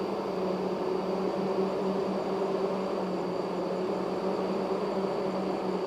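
A steady, even whine holds one pitch over a constant rush of machinery; many hydraulic drive motors running normally under load.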